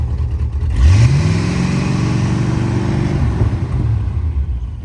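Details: 1974 Chevy C20 V8, revived after five years in a scrap yard: revs up smoothly from idle, holds a strong even rev for two seconds and drops back cleanly; sounds good and healthy.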